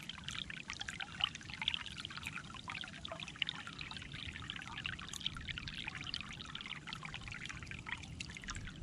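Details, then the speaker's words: Basement sump discharge pipe after its iron ochre clog was cleaned out with a Clog Hog pressure-washer hose: steady splashing gush with lots of volume, no sputter, versus the earlier trickle; the line now flows freely. "you can see it was really coming out quite a bit of volume there not like the first time when i came out here and it was just trickling out before we fixed it"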